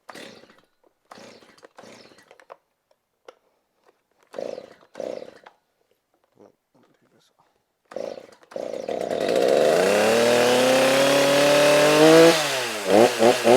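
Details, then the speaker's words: Stihl chainsaw power head, 20-inch bar, fresh gas/oil and cleaned air cleaner: a few pulls, catches, steady idle and crisp throttle blips; runs great, may need a little tuning. "Runs great. I know it's going to need probably a little bit of tuning. It's probably going to run even better after a couple tanks of fuel,"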